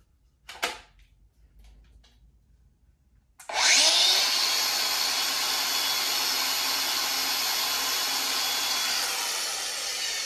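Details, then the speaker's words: Cordless tool on its first start, with a disc left in it: after a quiet lead-in it spins up to a harsh, high, steady rasping grind; abnormal grinding. "That sounds dangerous, man. Yeah, well, she grinds."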